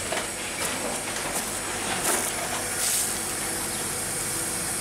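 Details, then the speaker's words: Mercedes-Benz with air suspension, bottomed out, pumping up: steady airy hiss with louder puffs after a click; an air leak is suspected, and testing is under way before replacing parts. "almost sounds like it's leaking or something yeah this whatever this is I heard it like click and started doing something"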